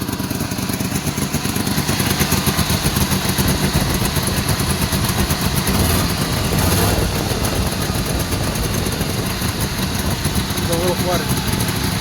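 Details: Two-stroke car with dual exhaust pipes, started after spring clean with battery charging and quieter fuel pump: busy crackling two-stroke beat, revving a little and running without stalling. Normal running.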